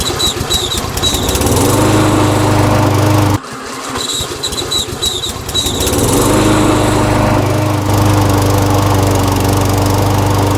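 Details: Briggs & Stratton Yard King self-propelled mower engine, after carburetor ultrasonic cleaning and rebuild, settles into a steady even beat, dips briefly and picks straight back up to a smooth, consistent speed; running properly.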